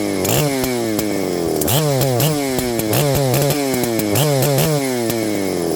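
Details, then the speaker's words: Husqvarna 394XP chainsaw: revs cleanly on gentle throttle, but quick throttle stab drags pitch down and it stumbles nearly dying; cause undetermined; bog on throttle stab. "now watch when I'm if I give it gentle throttle and kind of Let It Go it'll rev up and hit some RPM if I stab the throttle it bogs and wants to die"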